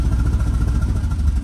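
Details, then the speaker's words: 1967 VW Type 3 Squareback with a new Pertronix SVDA distributor, engine during break-in: uneven, lumpy chuffing surging and sagging, held on the gas pedal, almost dying and then stalling; rough running from ignition timing way off. "oh yeah the timing is just way off oh it's like almost gonna die"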